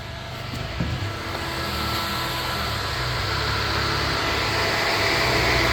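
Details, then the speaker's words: LS-swapped Chevy Nova, coolant a little over 160°F, electric radiator fan switched on via manual override; steady, even rush of air that builds slightly and holds with no rattle or scrape, healthy fan. "But if you switch it on, you can hear the fan"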